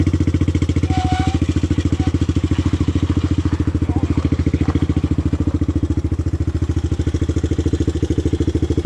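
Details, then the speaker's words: 1983 Honda ATC 200X three-wheeler bought at auction, ridden around town: a steady single-cylinder thump at about 3.5 beats a second with a loose clattery edge, sounding like it's falling apart. Something is rattling loose; one tire also went flat. "all right let's go mob this thing around town it sounds like the thing's falling apart oh this thing's sketchy"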